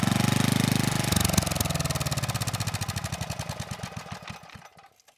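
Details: 1987 VoltMaster 4,000 W generator, 8 hp Briggs & Stratton flathead, about 34 years old, bought with no compression; ran better once the backwards choke was sorted. Even, regular firing with no knock or miss, then slows and dies at shutoff: normal running.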